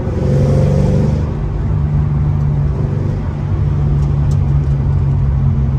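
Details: Ford Mustang GT 3V 4.6 V8 after a new engine, clutch, flywheel and headers install: a deep loud rumble pulls steadily through the revs with a crisp exhaust note and no knocks or rattles. Normal running.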